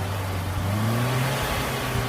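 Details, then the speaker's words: Suzuki Katana engine, freshly overhauled and returned to stock after white smoke on throttle: clean throttle blips with pitch climbing and settling smoothly, no misses or knocks. What comes out now is just exhaust dust, not white smoke as before. "Oke ini kalau keluar asap tapi ini debu kapot ya bekas-bekas debu knapot bukan asap putih lagi tidak seperti kemarin"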